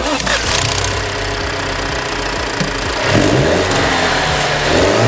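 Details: Alfa Romeo after cylinder connectors treated with aloe vera and salt paste to cure a misfire: engine picks up cleanly and revs smoothly with no stumble or popping, firing even through the rise; normal revving.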